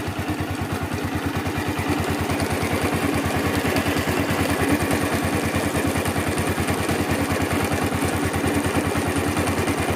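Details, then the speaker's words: Yamaha Vixion series motorcycle idling: fast metallic clattering, jingling "klitik-klitik" rattle from the left side of the cylinder head near the water pump housing, traced to a worn camshaft bearing. "jadi terdengar seperti gemericik atau klitik-klitik di bagian sebelah kiri di daerah rumah water pump ya"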